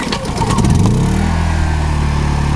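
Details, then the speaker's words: New Honda EU2000i 2000-watt inverter generator, pull-started with Eco Throttle off: brief pull-start rattle, then steady even drone at full speed, no hunting or knocking; quiet for a small machine, normal full-throttle running. "it's about as loud as it'll get so I'll step back so you can see how loud it really is I mean it really is pretty quiet for a small machine that's with it all the way idled up"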